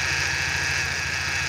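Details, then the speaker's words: BMW E46 N42 at idle: harsh gritty whirring hiss from a very rough alternator bearing; separator also faulty, parts ordered. "ini bearing di alternatornya ini ini kedengarannya kasar kali ini luar biasa kasarnya untuk alternator"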